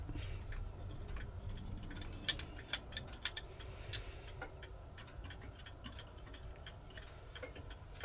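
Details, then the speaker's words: Elliott carved tall chime clock movement during restoration assembly, maintaining power engaged: crisp, even ticks about one per second, escapement beating steadily; normal ticking. "Clock is ticking. That's the maintaining power."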